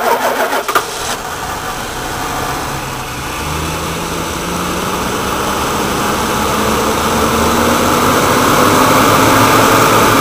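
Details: Woodgas-fuelled truck, restarted after running the blower, with the mixer valve worked by hand instead of the servo that leaned the mixture and caused stalling: cranks and catches quickly, then settles into an even run with revs climbing smoothly and holding.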